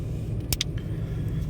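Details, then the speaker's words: 2005 Toyota Tacoma, engine started totally cold, customer complains it is very unstable; rough, uneven lumpy idle with heavy shaking from a misfire, P0301 cylinder 1 misfire code and check engine light. "sí sí sí sí está temblando mucho en este momento este este este motor"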